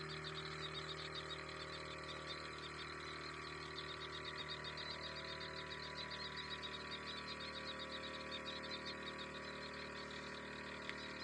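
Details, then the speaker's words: Small spray pump in a drip-irrigation panel box drawing water from a drum before the liquid runs out and it automatically cuts off: a faint, even hum with light fast ticking that stays steady; normal pump operation. "तो अब तो हमारी जो motor है वो चालू हो गई है।"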